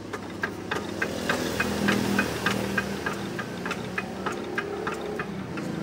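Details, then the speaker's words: RD 85 S-series diesel that earlier ran out of oil and had its bearing shells replaced, heard during a compression check: sharp, regular clunk three or four times a second in time with the engine; suspected flattened or worn bearing shells, crankshaft to be checked. "Ada suara Club lagu klub-klub sekali lagi Hai baik Ini kemungkinan adalah metalnya itu sudah ngeluntung atau gepeng"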